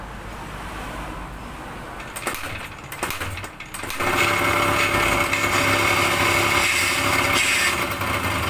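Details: Yamaha DT125 two-stroke that cut out and wouldn't start due to failed CDI box, converted to KR spark plug coil; sharp raspy crackle catches at four seconds into steady buzzing idle, running normally on new ignition.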